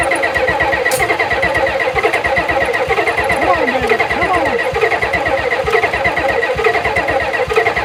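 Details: 1991 Ford F350 dually, 7.3 IDI diesel, not run since 2010: uneven chugging as it cranks long and catches only briefly, never settling to idle; owner unsure of fuel pressure and suspects fuel delivery, considering a new fuel pump.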